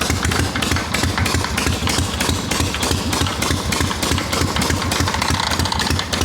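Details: Harley XLCH chopper, bench-running, not yet ridden: lumpy V-twin idle with an uneven scraping, rubbing rasp over the beat. Owner says something's wrong inside the clutch, something's rubbing; kicker ring-gear engagement also suspected. Cause unconfirmed.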